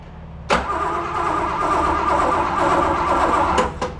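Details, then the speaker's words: 1960 Corvette with 350 V8 (originally 283), not started in over 40 years, points sanded, float bowls filled with fresh gas, spark confirmed: starter whirs about three seconds but never catches; cranks, no start. "oh maybe I have to prime it hang on some prime for a good time all right go again try again oh really try again no"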